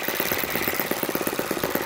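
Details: YS FZ63S supercharged glow engine after rebuild (replaced throttle barrel seal), APC 12x8 prop, Omega 15% fuel, low about 2,220 rpm: crisp, even popping at steady slow idle, no misses or stumbles; normal idle.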